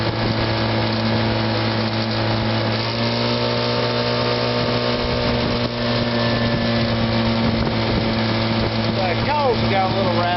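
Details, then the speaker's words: 1957 Sea King 5 hp outboard made by Gale/Evinrude, after a tune-up with new fuel pump and water pump: a steady, even hum at constant speed with a faint rattle from the cover. Otherwise quiet and smooth; normal running. "a little rattle in them, but it's a very quiet and smooth running motor."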